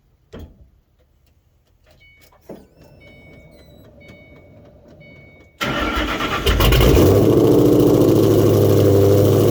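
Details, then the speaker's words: Ford 4.6L/5.4L Mustang after tensioner and idler pulley replacement: engine catches cleanly after a short crank and settles into a steady, even idle with no belt chirp or squeal; healthy. "all right come back one more time take a look make sure everything's spinning the way it should be nice and [Music] smooth"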